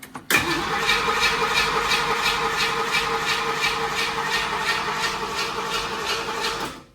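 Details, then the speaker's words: Small-block "Pontiac" 327 V8 being fired for break-in, cranking steadily at about three pulses a second but never catching; ignition timing not set, later fired after adjustment. "did Bill do a good job Bill didn't do a good job the time is not set oh excuses"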